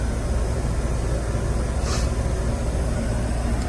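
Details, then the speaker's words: 1979 MCI MC9 coach, Detroit 8V92 two-stroke diesel, about 200,000 miles, just started after a short drive, fast idle on: deep steady even diesel rumble with no knocks or misses; healthy. "And I was always told to keep the fast idle on, so that gives us keeping that engine where it needs to be. They love to be run."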